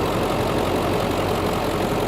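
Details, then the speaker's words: 2003 Ford Excursion Limited, 7.3L Powerstroke diesel, idling with the hood open: a steady, even diesel clatter with no misses or knocks standing out, and no smoke. It idles healthy. "You can hear it run back here. It sounds like a 7.3 diesel. Doesn't blow smoke or anything."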